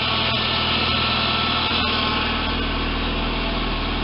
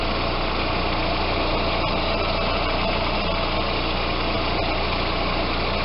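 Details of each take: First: Audi A4 idling with a steady hum and whine from the power steering pump, running low on proper fluid; fixed by flushing the system and replacing the fluid. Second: Audi A4 after power steering fluid flush and change (about 1.8 L): steady even idle, pump no longer humming or whining.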